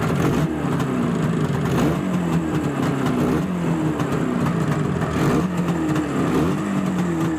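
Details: Izh Jupiter 5 two-stroke twin after crankshaft balancing, even putter with light throttle blips and no metallic ringing; pistons suspected of wrong geometry; normal idle.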